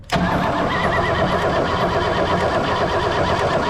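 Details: 1964 Oldsmobile 98, long-stored, spark tester in line: starter cranks the engine at a steady, even rhythm but it never fires; no spark. Distributor cap then removed, revealing broken or chewed wires and an overdue tune-up.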